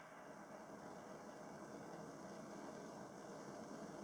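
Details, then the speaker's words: 1950s Burmos pressure stove (not a Primus), lit first time, pressure pumped up, then turned down via the pressure release valve: steady, even hissing roar with no sputter or pulsing, the normal sound of a burner running cleanly at a low setting. "Perfect. Perfect first time. Not bad, since the early 50s, eh? Not bad for a stove that age."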